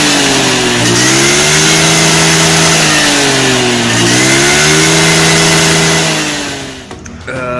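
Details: Honda Beat carburetor scooter with hesitation on initial pickup; test after enlarging and tapering a carb passage; revs surge and drop unevenly, flat on pickup; still not fixed, later traced to too-small local jets, too lean.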